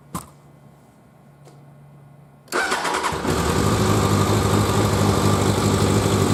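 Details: 1100G motorcycle after sitting at least two months, with a new LiFePO4 lithium battery and diodes cutting the 14.7 V charge to 13.9 V: after a quiet pause and fuel-pump priming, it fires at once and holds a smooth, even idle of about three beats per second; healthy start.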